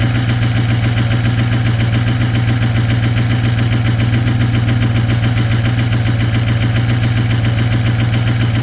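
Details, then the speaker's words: Ford 6.0 Powerstroke diesel at -2°F, cold start into high idle with partially gelled fuel: steady low drone with uneven, lumpy, missing-like beat; later had no power on the road, cleared after Diesel 911 anti-gel and topping up the tank. "I went for a drive after it warmed up and it had no power and it it sounded really weird and it was almost sound like it was missing turns out the fuel was gelled"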